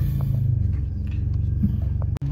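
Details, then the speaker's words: Exhaust leak heard while driving slowly, including over cobblestones during a pre-inspection check: deep throbbing low rumble with a rapid puffing pulse riding on it. "je pense que tu as entendu depuis tout à l'heure il y a un [ __ ] une [ __ ] de fuite d'échappement ce qui est pas bon du tout"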